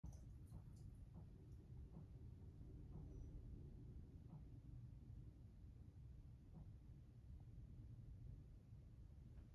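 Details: Laundry drain pipe ticks faintly and irregularly over a low watery rumble as hot washer drain water expands it; owner suspects the pipe rubs on a stud hole cut too small, since cold water caused no knocking.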